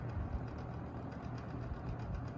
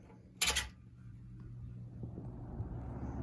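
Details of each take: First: Lakewood P-223 box fan running: steady low drone with a light uneven rattle over the motor hum, an issue of this motor, unlike the S-223 which has no rattle. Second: Lakewood S-223 fan running: switch click, smooth whoosh building to speed, soft low hum, no rattle unlike the P-223's motor rattle; slightly louder but healthy.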